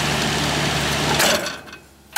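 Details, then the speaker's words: Central air conditioning outdoor unit after a capacitor replacement and before a hard start kit: a steady fan-like run for about a second, then a strained hum that cuts out with a short burst; the compressor tries but won't start, so there's no cooling. "If it don't start, you're shit out of luck. Compressor's not starting."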